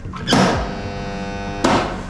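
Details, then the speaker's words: Contactors in an abandoned palace's electrical panel, switching on shelf lighting: loud steady mains hum with coarse electrical edge, bracketed by clunks; contactors noisy/chattering rather than pulling in cleanly. "Nie, to styczniki hałasują. Słychać, że."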